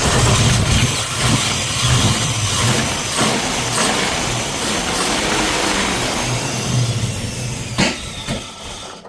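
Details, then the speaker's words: Ford Falcon XB GS hardtop V8 with big-overlap cam, after lifter preload adjustment; loud lumpy loping idle that never settles, owner attributes rough running to low vacuum, tune changed to race setting. "because we've got less vacuum and It needs more, because no vacuum air, it's just like cranky. Yeah, it's got that much overlap."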